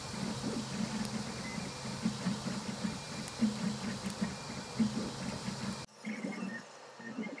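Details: Irregular small pops and crackles from the hot end over a faint motor hum while printing ABS at 230 °C extruder, 95 °C bed, on a raft; extruder temperature fluctuating despite PID tuning; extruder popping.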